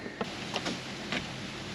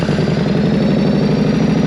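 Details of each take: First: 2012 Chevrolet Captiva with no-crank no-start, fresh battery fitted: few sharp single starter clicks on key turn with no cranking, louder click with more power; engine found completely seized. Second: Yamaha Road Star 1600cc V-twin motorcycle: loose, lumpy big-twin beat that climbs cleanly on a throttle blip and settles back; running strong and smooth.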